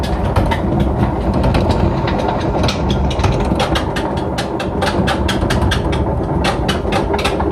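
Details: Washing machine during the final high-speed spin and drain: loud, steady roar with rattling clicks. The owner says it is unbearable and suspects worn drum bearings that need replacing, though the cause is not confirmed.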